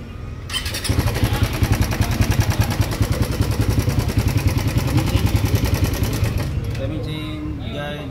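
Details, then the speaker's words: Raider 150 FI motorcycle neglected on oil, ridden from Angono, Rizal, while noisy: starts to a busy, clattery, rough idle; abnormal internal engine noise, suspected from oil neglect; repaired with second-hand clutch pressure part. "Kaya lang maingay eh. May langis naman, boss."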